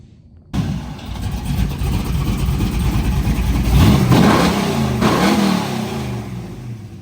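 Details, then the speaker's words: Buick Grand National after replacing faulty Amazon-bought aftermarket coil packs: the engine catches and revs up smoothly with no stumbling or skipped beats, then settles into an even idle. Running normally, misfire fixed. "I think we figured it out it was these don't buy coal packs from Amazon"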